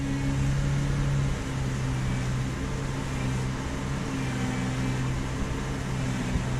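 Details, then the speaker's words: Car with cold engine at high fast idle, power steering pump heard while watching gauge needle: steady low hum with faint even whine, no groan or squeal; pump working, steering good. "you see how the needle already is moving right now even now it's moving and I could hear the pump and the steering is pretty good here"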